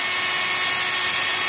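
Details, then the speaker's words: 660 W washing machine universal motor, rated up to 15,000 rpm, on a TDA1085C tachogenerator speed regulator turned fully up: smooth, very high-pitched steady whine with no roughness or knocking; normal full-speed run. "very very very very fast. I don't know you can hear me or no guys but ramps is just a crazy absolutely crazy"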